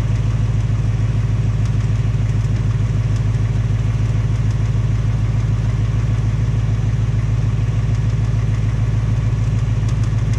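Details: 2018 Ford Mustang GT, second engine at just 1200 miles, even settled V8 idle with a soft regular tick about three a second, same noise as the first engine; cause uncertain, piston slap or Coyote tick suspected; Ford replacing the short block again.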